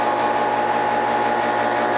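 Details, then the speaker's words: Home AC outdoor condenser unit: constant electrical hum with no fan spin-up, the unit straining but never starting. Fan not turning; a faulty run capacitor is suspected, not confirmed. "So here you can see, you can hear it all humming and everything like its wanting to do something."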